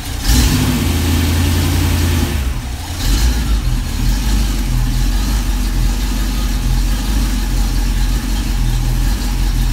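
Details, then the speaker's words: V8 on a run stand with mock-up adapters and Flowmaster 60 series mufflers, block hugger headers: deep, even rumble with a brief rev blip, mellow, not loud, no rattles; a healthy, well-muffled exhaust. "well I like that sound I like the other sound the sound of the bigger ones a little better but that's okay that I'll I'll accept that one it's not loud"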